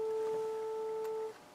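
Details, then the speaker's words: Harman Kardon 900+ multichannel receiver during restoration: steady test tone plays on the right, then silence on the left; no left channel, even in mono. Owner suspects a bad amplifier or a bad switch, unconfirmed. "tone right left right left we got no Left Channel I can hear it there's no tone"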